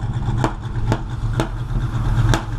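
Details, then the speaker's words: V8 running rich and smoking: low, lumpy idle with four sharp bangs about every half second to second out the tailpipes; owner suspects ignition timing off 180 degrees, not confirmed. "Hear the backfiring? That's why I think it's timing. I think it's off 180 degrees. You hear it. See, that's coming out the tailpipes. Sounds like somebody shot you."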